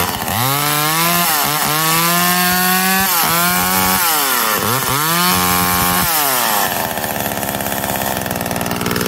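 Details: McCulloch Eager Beaver 2.0 chainsaw after rebuild, spark arrestor back on, probably warm, run to burn off old gas: high buzzing two-stroke revs up and down cleanly several times, then stumbles and dies as fuel runs out; runs healthy.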